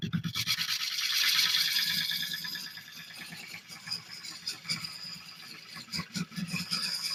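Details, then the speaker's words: Wood lathe turning an oak burl bowl from found wood: gouge scraping with uneven chatter, roughly three catches a second, as the tool bounces and chips over a knot in the spinning bowl; tool chatter from the knot. "I'm not sure why is that chipping as it comes around. It's bouncing. Let's see where I'm bouncing from. Oh, because of this. Because of that knot."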